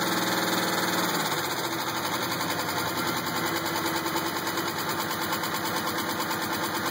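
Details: 2000 GTP petrol engine at idle with a steady, fairly regular knock that stayed consistent as RPM eased; owner doubts rod or flexplate and suspects maybe a spring, cause unclear.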